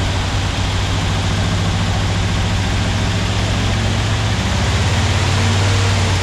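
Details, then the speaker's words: Porsche 356SC, about 90 hp, freshly rebuilt engine on its first start: a loud, steady low idle with a fast, slightly uneven pulse and plenty of fan hiss, no knocks; fuel leaks found on both sides at the fuel lines. "all right check for fuel leaves there are some on both sides let's deal with that immediately but it does live"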